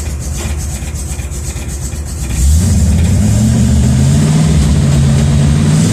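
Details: Chevrolet C10 small-block V8 after upgrading the alternator from original 45 amp to 160 amp 10SI with air pumps on: fires after about two seconds, then steady, even idle with no knocks or misses; healthy.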